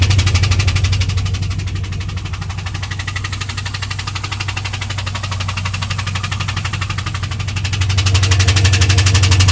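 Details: 2001 WS6 LS1 5.7L V8 that ticked at high rpm, lost oil pressure shifting and was found with zero oil, now refilled: steady idle with regular fast tick, around three per second; cause unknown.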